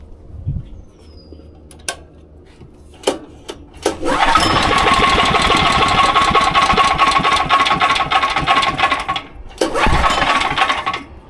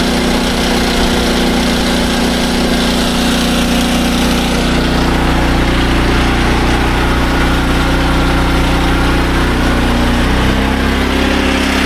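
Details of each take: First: SDMO 5000W generator with a Briggs & Stratton engine (about 18 hp), pull-started with the tank nearly empty: several cord pulls, catches and runs roughly a few seconds, then dies; stalls from fuel starvation. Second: SDMO 5000W generator with a Briggs & Stratton engine (about 18 hp), restored after a no-power complaint. Load test with a 1500 W heater and a light: a loud, even drone holds speed with a slight pitch shift as load comes on. It runs healthy.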